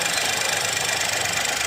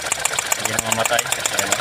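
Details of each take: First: 2021 Geely Coolray engine after replacing a faulty injector and spark plug that caused misfire and shaking; steady, even idle with constant level, no stumbles, check engine light gone. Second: 2021 Geely Coolray idling with coil on cylinder 3 unplugged: even idle ticking about eight times a second doesn't falter, showing cylinder 3 isn't firing; misfiring cylinder.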